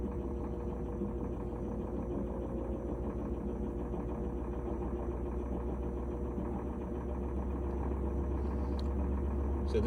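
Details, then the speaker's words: GE washer with a no-spin fault, after cleaning oil off the belt and replacing the lid switch: a steady low hum with an even drive rhythm building smoothly into spin, no slipping or squeal, ramping up normally. "so we're ramping up here you can hear it"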